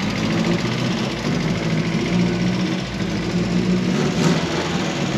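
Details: Mk1 Fiesta S with a newly fitted Zetec engine, first drive after the camshaft broke: runs evenly under light throttle with a smooth hum and no ticking, after idle control valve and injector plugs that had been swapped were corrected to stop over-fuelling; running properly.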